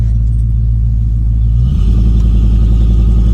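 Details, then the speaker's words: 1989 Ford F-250 big-block V8 with 180° thermostat, restarted hot after a 10-minute drive, following an ignition control module relocation to the fender to cure hot no-start: a deep rumble turns into a loose V8 pulse as it fires and keeps running. "It's definitely hot enough now. So if it cranks up, then maybe moving the ICM fixed it."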